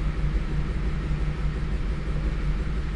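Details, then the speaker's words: 2007 Lincoln Navigator at a low, lumpy idle with an uneven beat about once a second. The mechanic estimates about 2 cylinders not firing and injector spray poor, to be confirmed by motor tester; notes cite a stretched timing chain, late valve timing, worn plugs. "Көлікте 2 цилиндр жасамай тұр, шамамен. Оны енді мотор тестер анықтайды."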